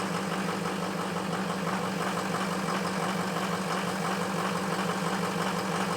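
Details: Ford F350 cold start after a high-30s °F night, two bad injectors: lumpy, uneven cold idle, steady low drone with a loose irregular patter, like a misfiring cylinder.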